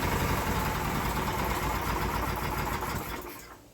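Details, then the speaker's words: Briggs & Stratton small test engine, smoking heavily at start: weak ragged uneven chugging for a few seconds then dies; far too much cylinder damage, virtually no compression, oil passing the rings. "far too much cylinder damage in it there's virtually no compression left in this thing at all"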